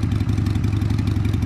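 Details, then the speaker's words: 2002 Harley Sportster after carb cleaning, not yet warmed up: lumpy loping V-twin beat at low, barely-holding idle, stalled once; idle speed needs adjustment. "it's not quite warmed up yet that's why you know what it's going to need a an idle adjustment"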